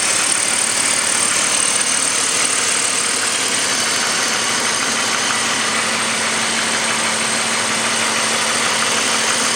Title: 2002 BMW 5 Series 530i M54 Engine Knocking Noise